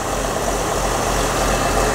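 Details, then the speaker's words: 1970s Craftsman belt grinder, first test after a motor mount modification: steady, even low-pitched motor hum with no knocks or rattles, running smoothly and sounding healthy. "Take a look at that. Oh my God, that thing is working perfect."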